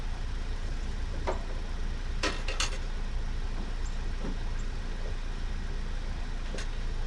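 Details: 1988 Chevy 2500 with 6.2 L diesel, aftermarket Banks turbo, over 400,000 miles, long parked, on jumper cables with starting fluid, fuel pump not heard running: heavy uneven cranking with clatters but no catch. Cranks, won't start.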